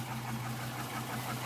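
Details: 2006 Trailblazer SS with LS2 V8, recently bought, cold start: steady idle with a faint tapping knock over the low rumble. The owner says it is not piston slap and gets louder when warm; the knock's cause is undetermined.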